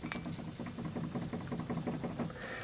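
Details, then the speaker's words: 1996 Buick Roadmaster front wheel, caliper removed, rotor end rocked by hand: rapid uneven clunks, bearings otherwise sound good; excessive wheel bearing play, cause of steering wheel shimmy, to be repacked, new seal and adjusted. "And bearings actually sound pretty good, but there's just too much play. Hopefully you can hear that if I grab the end of the rotor and move it back and forth."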